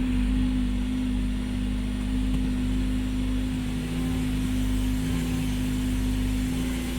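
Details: 2013 Ford C-Max Energi in EV mode, driver door open, throttle pressed so the petrol engine starts: low steady hum/whine with constant drone, slight ping, then stops; owner suspects a loud fuel pump; car ran fine 40k+ miles afterward.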